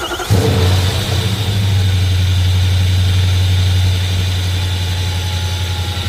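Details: Nissan Frontier with Titan VK56 V8, alternator relocated, new 6-rib belt fitted in place of 7-rib with idler pulley spaced out: quick crank, catches at once, settles into an even idle with no belt squeal. Normal start and idle.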